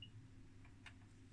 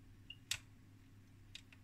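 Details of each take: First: 1969 HP 400E AC rms voltmeter: low hum with a few faint irregular clicks as relays in the relay box chatter when the box is touched, from a loose connection. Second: 1969 HP 400E AC voltmeter after its crusty relay connectors were cut and resoldered, changing ranges: crisp single relay clicks about every second against a quiet hum. The relays now switch cleanly.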